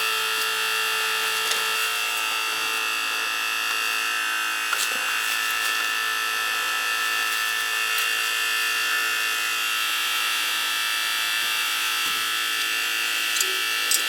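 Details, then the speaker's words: Old gas boiler's circulator pump, pressure present and zones recently purged, giving constant high-pitched squeal and whine over smooth motor drone heard through the house; circulator motor bearings worn, pump needs replacing. "Just the bearings are gone, you can hear it."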